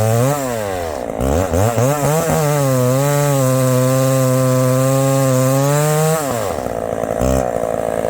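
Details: Chainsaw under load in the cut: revs up, then pulls down steady and strong in the cut with a clean, even note and clears crisply. A healthy saw with good throttle response.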